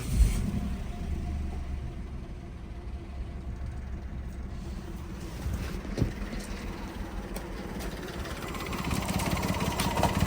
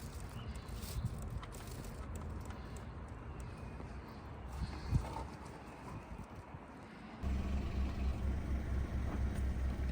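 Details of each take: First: 1-litre engine with code P0301, engine management light on: uneven, lumpy idle with stumbles and shaking, little power, feels about to stall; cylinder 1 misfire. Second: 1-litre engine after a P0301 cylinder 1 misfire, with the ignition coil refitted and the fault code cleared: a low, even idle holds steady with no misfire and no engine light.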